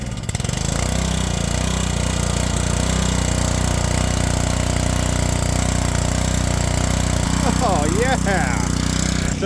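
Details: Ryobi pressure washer that had lost compression, with the owner suspecting a broken timing chain, started on choke with penetrating oil still in the cylinder: strong, even beat near four firings a second, holding speed without misses or knocks.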